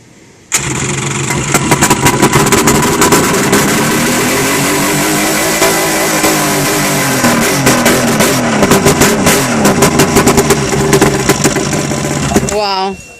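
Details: 1995 Yamaha 1100 two-stroke engine, first start after rebuild replacing a missing piston, fuel poured into carburetors with no tank: catches straight away, runs about twelve seconds with throttle blips and revs, shuts off cleanly; normal start and run.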